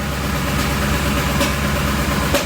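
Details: 2007 Ford Expedition, 5.4L 3-valve V8, rough idle with no stored codes. A rhythmic popcorn-like pop about once a second, loud at the top of the engine; cylinder 3 drops power at each pop. Cause: failed roller follower.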